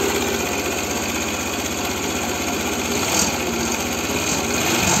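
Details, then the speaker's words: Arora Proxy R50 scooter after the throttle cable and idle adjustment: a quick, even putter holds steady with no stumbling or hunting; it idles smoothly. "Evet şu an çok güzel çalışıyor tam bu rölanti arkadaşlar bakın"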